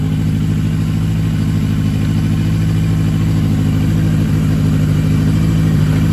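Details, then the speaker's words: Yamaha XJ750 four carbureted bike, sat long, wouldn't run except on starter fluid; after Seafoam soaked in carb bowls and tank a day and idle screw fixed: deep even burble, steady idle, no misses or stumbles. "seafoam for the wind sea foam heck yeah man that sounds great especially before it wasn't even running i started right up"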